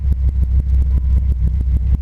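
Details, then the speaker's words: 1998 Dodge Viper V10 after dry sump install, warmed up: deep, even low rumble with steady firing pulse at idle, no knocks or ticks, 50 psi warm oil pressure; healthy warm idle, PCV possibly not sealed. "So as you can see, it's warmed up. It's got some heat in it. It's got a 50 psi warm idle."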